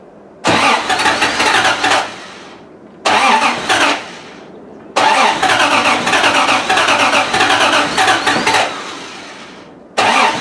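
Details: Triumph TR6 started after long winter storage, fuel pump primed with the priming lever to refill the carb bowls: several cranking bursts with short pauses, then it catches and settles into a steady run; normal cold start.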